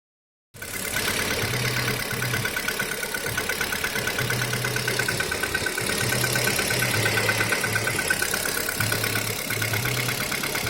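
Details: Kia Rio 3 cold start, idling cold: fast, fairly even light ticking knock about three per second over a steady engine hum; engine knock when cold, source unknown.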